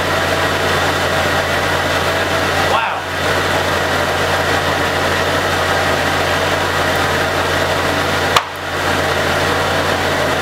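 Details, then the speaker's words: Jeep 4.0 after a low-oil-pressure repair with the oil pump primed with petroleum jelly; it previously rattled loudly and now shows about 60 psi: smooth, steady idle with an even low drone and no rattle or tapping. Normal idle. "sounds much better and uh want to show you the gauge we've got plenty of oil pressure now it's like 60 lb oil pressure"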